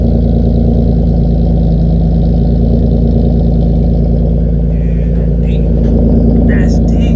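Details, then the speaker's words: 6th-gen Nissan Maxima with HR engine swap and 6-speed manual, while finalizing last hiccups to avoid continuous limp mode: loud deep steady idle, even pulse, no stumbles or misfires; running smooth, normal idle. "let's go baby cars sounding amazing no misfires it sounds like it's running smooth idli"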